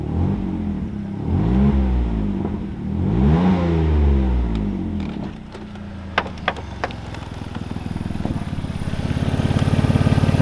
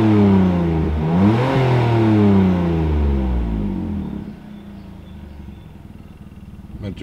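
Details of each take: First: BMW E46 with M54 engine after a cylinder 1 coil swap for misfire: revs swing with loud raspy puffing exhaust, then ticking idle, from holes drilled in the muffler and in the pipe after the catalytic converters. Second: BMW E46 M54 after replacing the cylinder 1 ignition coil and clearing the misfire code: engine revs up and settles back smoothly to a steady idle, even firing, no stumble; runs noticeably better, exhaust still has holes.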